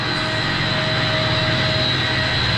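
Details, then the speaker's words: Large commercial centrifugal HVAC condenser water pump switched to hand, VFD matched to the other pump at 37 Hz, 61%, before strainer maintenance: steady even hum with constant motor whine, no knocks or rattles at reduced speed; normal running. "All right. So, I got it matched up with the other one. 37 hertz at [Music] 61%. So, this one's running"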